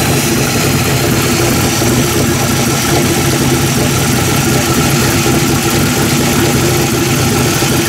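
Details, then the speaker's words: V8 running on a freshly fitted Holley 750 carburetor after tuning: loud, even rumble at a fast idle around 1700–1800 rpm, steady with no misses, stumbles or surging; runs clean and properly tuned. "Alright, there she is. She's good to go. Tuned in."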